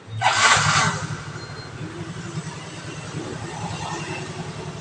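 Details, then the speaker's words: Yamaha Mio scooter that only clicked on the electric starter, traced to the starter motor rather than the battery (battery still to be replaced); brief crank, then a steady idle with no clicking; normal start. "Nah, sekarang mah normal ya. Enggak bakalan susah tuh. Enggak bakalan ada bunyi cetak-cetek lagi ya."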